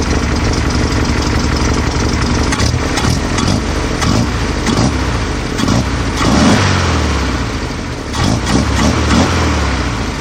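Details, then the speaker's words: 1968 VW Type-3 Fastback, air-cooled, dual carburetors with new CB Performance hex bar linkage and throttle cable just adjusted: fairly steady idle with even firing, no knocks or misses; normal idle. "yeah I think that works pretty well okay it seems like it's idling pretty good to me"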